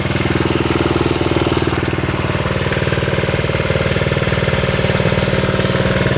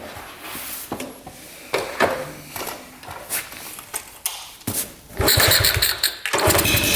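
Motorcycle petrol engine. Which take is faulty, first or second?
second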